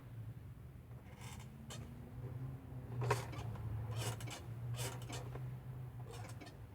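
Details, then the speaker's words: 1989 Nissan D21 pickup (Z24i) being checked for a non-working horn; sharp irregular clicks over a low engine hum as the horn switch is pressed, relay energizing, so switch contacts are good; horn relay clicking normally. "as I press a switch horn we do see or hear that the really is clicking there"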